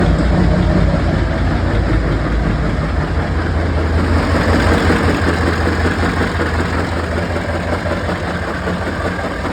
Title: 6.6L duramax engine knock with smoke an 1 misfire need your answers an opinions